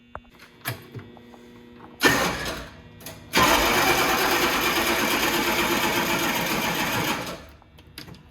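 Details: Humvee diesel after fuel pump replacement and emptied fuel filter canister, batteries running low: short crank burst, pause, then about four seconds of steady cranking that never catches while the filter refills; it later starts and runs.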